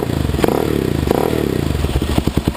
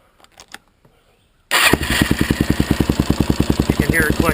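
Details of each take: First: Suzuki LTZ/DRZ single-cylinder ATV idling after adjusting the cam chain tensioner bolt: steady low thump with the earlier top-end clicking gone; cam chain properly tensioned. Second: Suzuki LTZ / DRZ single-cylinder ATV engine fires up and idles with steady clicking from a slack cam chain caused by a loose tensioner. Screwing in the manual tensioner until the noise almost disappears, then tightening the nut, fixes it.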